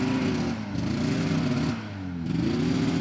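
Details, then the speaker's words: 1981 Ski-Doo Blizzard 5500 two-stroke snowmobile, airbox refitted, under load: revs sag and recover twice, pitch dropping without picking up, sled barely moves; bogging, suspected plugged airbox (possibly mice) restricting air. "he can't even make it move Let's uh let's take the airbox off again do you think do you think the problem is just the airbox is is plugged"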